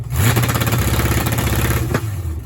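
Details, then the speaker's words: Big-block Mopar V8 in a Charger with MSD 6AL box and factory electronic distributor, rev limiter set at 2,000 rpm, in gear: rapid choppy stutter and popping as ignition cuts at the limiter; feared hard on exhaust valves. "Boy, that sounds interesting, right? That's a good how to burn up your exhaust valve or something. That has to be bad."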